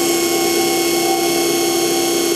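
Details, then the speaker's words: Homemade electric cart testing a new speed controller: a steady, high motor whine at constant pitch at about 2,000 RPM flat out, with faint controller beeps signalling it is at its top set speed; normal running. "you hear the little beeps that's just to tell you that it's running at its top set speed"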